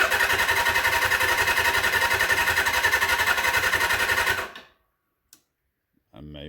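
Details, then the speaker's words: 1979 Suzuki GS750 sitting since 1984, first start attempt: steady starter cranking, three to four pulses a second, over four seconds, never catches; crank no start, carb bowls possibly not yet filled, maybe a lockout switch. "motorcycles sitting on the ground in the shop and the bowls may not have filled yet i've given it some time there may be some more issues with this don't know"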